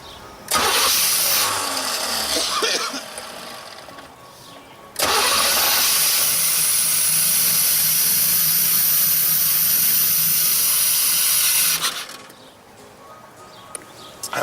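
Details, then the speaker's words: 1989 Formula, sat 3 years: with gasoline poured into the intake it cranks briefly, fires right up and runs steadily with no misfires; runs amazing, confirming the fuel pump is the only problem. "Yeah! Fired right up, guys. It's been sitting here for 3 years. So the only problem is the fuel pump. That's it. This thing runs amazing."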